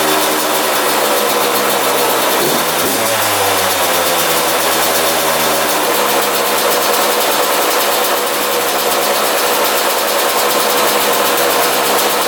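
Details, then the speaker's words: 2001 Yamaha YZ125 two-stroke after top-end rebuild, new pipe, cleaned carb: crisp steady buzz at raised idle that never settles; owner thinks air drawn past extremely loose intake manifold bolts. "those were extremely loose so I think it was just sucking in air through there and that's why it was kind of idling high"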